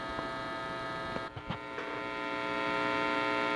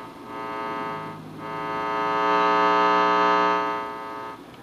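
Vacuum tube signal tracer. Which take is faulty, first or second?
second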